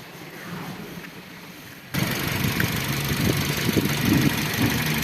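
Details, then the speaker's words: Toyota Yaris, engine warmed up after throttle body cleaning, which fixed unstable idle and no alternator charging after the battery went flat: steady, even idle down to about 750 rpm, no hunting or shaking, and charging normally again. "Ya bajó las RPM a su estado normal, que estamos hablando de 750, y el carro está parejo, ya no tiene ese cabeceo, esas sacudidas ni nada."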